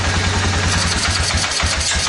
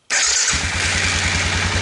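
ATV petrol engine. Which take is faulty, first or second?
first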